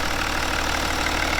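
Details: BMW N57 diesel first start after timing chain and main bearing replacement, no leaks: even steady diesel clatter with a smooth low drone, no knocks or irregular beats; normal healthy idle.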